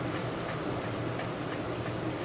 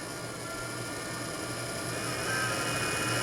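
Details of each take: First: Small cooling fan from a Wanhao Duplicator i3 / Monoprice Maker 3D printer, after repair, running at 12 volts: even, smooth whir with faint light ticking, no buzz; slightly off balance but spinning cleanly and normally. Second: Small cooling fan from a Wanhao Duplicator i3 / Monoprice Maker 3D printer, before repair, pressed against the table: rough, steady high-pitched buzz that cuts off abruptly; worn fan bushing; owner says it stops after about five minutes, guessing the metal expands and holds the shaft.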